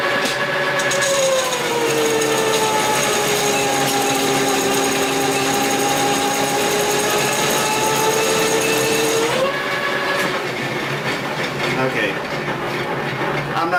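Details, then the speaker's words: Metal lathe taking a deep facing cut: motor whine sags in pitch and stays strained through the cut, almost stalling, then springs back; lathe overloaded at its power limit. "that it's it's almost stalling it out just like I did with the 50,000 with the insert."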